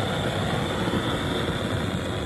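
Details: Antique white-gas liquid-fuel blowtorch, restored, preheated and running at full blast: steady, even hiss-roar, no sputtering or pulsing; burning cleanly, normal full-flame roar.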